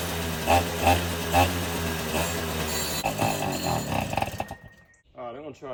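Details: 2006 Suzuki Quadsport LT80 two-stroke, stored for years, previously seized, test run after cleaning the corroded carburetor (clogged needle valve suspected): crackly two-stroke buzz with a few throttle blips before winding down and stopping; runs normally.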